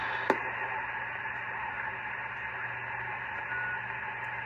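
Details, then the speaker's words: 1972–73 Pearce Simpson Cheetah 23-channel SSB CB radio, first power-up in over 20 years, squelch fully off, receiving on sideband: steady hiss and band static with a low hum and no voices. Unusually little static that day, receiver working normally. "Today's one of those rare days I hardly have any static."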